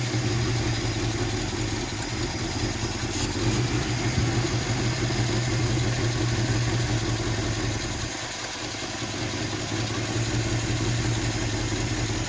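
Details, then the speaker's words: 1957 Chevy Bel Air V8, first start in 15+ years, new battery, coil and fresh gas: low uneven idle sags and nearly dies around eight seconds; rough idle, owner thinks it's the carburetor and may fit a new 2-barrel. "She's running rough. I might get a new 2-barrel carburetor for it."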